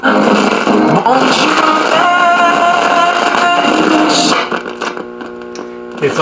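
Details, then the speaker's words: Late-1960s Rittenhouse RM20/RM22 radio intercom master station: radio audio crackles and scratches in bursts, dropping in and out as the dirty volume control turns; only partly cleaned, may need replacing. "very scratchy and staticky I did clean it a little bit when I had it apart but obviously not well enough or it needs to be replaced not sure about that"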